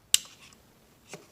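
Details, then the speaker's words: Sub-Zero refrigerator, freezer not cooling, compressor warm but not running: sharp single click then a softer one a second later with no compressor hum; the overload trips because the start device/relay failed. "Just heard the overload clicked again."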